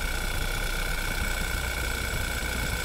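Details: Audi 2.0 TFSI at idle after light revs: a thin constant high whistle over the engine note; a suspect abnormal idle noise, cause not yet clear.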